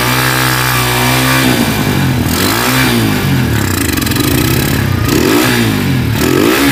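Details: Honda Tiger single-cylinder motorcycle that smokes when cold and has lost power, started after a wash, revving up and down: rough, tinny clatter and clicking from the cylinder head; cause found to be loose rocker arms.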